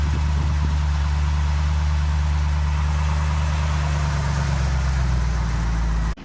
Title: Engine Problem / Speed fluctuations BMW e63 650i N62 2006